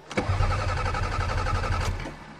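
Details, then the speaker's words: Toyota Camry cold start in snow: a steady rapid cranking churn for about two seconds that never catches, then stops; no fuel pump heard, so owner suspects fuel pump failure. "I don't hear the fuel pump uh-oh oh no uh-oh we have fuel pump failure oh my God I almost had a perfect record of Toyotas this sucks"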